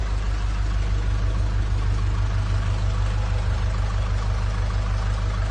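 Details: Nissan Urvan Estate E25 with ZD30 diesel after replacing the engine block assembly for knocking: a steady, even idle with smooth low rumble and no knock or tick; runs clean.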